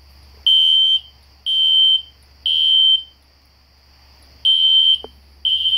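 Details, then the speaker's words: System Sensor SpectrAlert Classic horn strobe on low volume, heard in the background in a house demo with no control panel, strobes set to 1575 candela: shrill half-second blasts three in a row, a pause, repeating; horn sounding properly. "I have the classic spectr alert horn strobe set on low volume so it's not too loud. You can hear it in the background."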